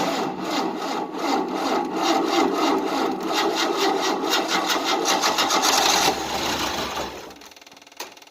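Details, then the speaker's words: 1988 Tennant 255 Series II sweeper after a fuel-line replacement, cranked with choke and starting fluid: the starter labours at about three strokes a second, slowing and dying out. The long-dead battery lacks the power to start it. "the problem is there's not enough battery power and the battery's been so dead for a long time uh it doesn't have the craft to do it"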